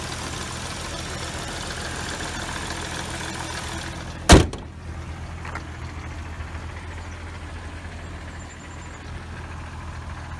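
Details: 2006 Hyundai Tiburon 2.7 V6, 6-speed manual, after replacing lash adjusters, timing belt and water pump: at idle a light rattly chatter from the clutch throw-out bearing stops after a click when the clutch pedal is pressed; injectors may add some ticking.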